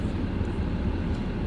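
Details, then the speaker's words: 2018 RAM 2500 Laramie Longhorn, 6.7 Cummins diesel, just started after gauge-cluster chime delete: steady low diesel idle rumble with no knocks, misses or warning chimes; normal idle. "I can start the truck. There's the truck is started and running."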